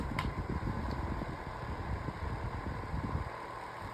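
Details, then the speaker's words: Holmes Blizzard-type fan on oscillation: steady fan hum with an uneven low clatter while oscillating, something in the swivel mechanism rattling. "Yeah, you can see it it has some issues when it's on oscillation, but um overall it's not bad."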